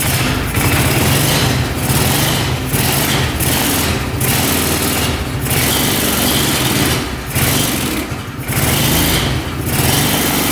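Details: 2005 Kawasaki Prairie 700 twin ATV, airbox off, idling steadily with a low, regular beat and no knocks or misses. Normal idle; no oil comes from the crankcase breather, and old oil is burning off the pipe.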